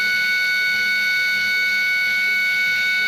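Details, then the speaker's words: HP LaserJet 1020 laser printer powered on with the cover open: a steady, high, piercing whine holds unchanged. The laser scanner motor, which spins up late, is at fault. "ये दोस्तों जो इसकी motor घूम रही यहां पे देर में घूमी है। तो ये यहां पे दिक्कत कर रही है भाई।"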